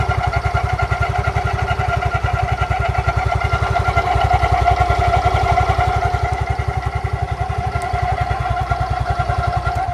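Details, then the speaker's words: Yamaha Fino scooter, in its third year of daily use, at idle: quick regular rattle about three a second over a steady ringing tone, heard only sometimes, from the CVT; caused by an unevenly worn front drive pulley. "bagian CVT Fino ini kemarin ada bunyi-bunyi aneh yang pertama itu bunyinya kletek-kletek berisik Yang kedua itu bunyinya seperti ini kalian dengarkan dulu"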